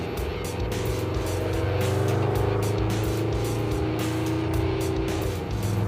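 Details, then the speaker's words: 1974 Chevy stepside muscle truck with swapped all-aluminum LS6 V8, after new plugs and new clean injectors: deep, even rumble pulling steadily on the road, no miss or knock; running smooth, possibly better than ever. "It sounds smooth. Like, it's running better than I think it ever has. Might be. New plugs, new injectors, no crud in them, no sand."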